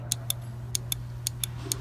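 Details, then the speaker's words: Horn circuit fault on 1997 International truck: horn relay bench-tested with power and ground, four crisp click pairs over low mains hum; relay switching normally, relay good. "now I've got the relay here I'm going to test really i've got my ground connection at my power connection we're going to get real close see if you can hear that click"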